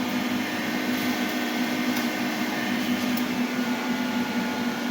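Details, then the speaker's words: 3 kW 48 V rackmount off-grid pure sine inverter with MPPT running one blower as grid power returns: steady fan whoosh with constant low hum, no surging or rattle; automatic transfer back, blower runs normally. "Oke, di sini secara otomatis langsung berpindah ke inverter ya, tanpa ada kendala untuk perpindahannya."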